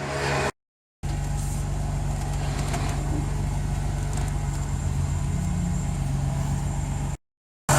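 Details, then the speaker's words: Ford BA XR6 power steering just after rack replacement and fluid fill, on a hoist: steady petrol idle with only a slight pump note change as the wheel is turned left and right, no whine or groan; steering working normally, wheel alignment still needed. "And we're on our hoist, so it's a fairly slippery surface. And I'm going to start it up and go left and right with it now."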